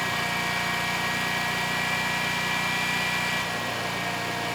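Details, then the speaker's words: Generac XG10000E generator, about 10 years old, only 12 minutes run, fuel left in carburetor: even drone with brief sag in pitch and level, occasional engine stumble; carb issues suspected, THD jumps when speed fluctuates. "so far so good although the engine I do hear it stumbling once in a while so I'm thinking we do still have some carb issues"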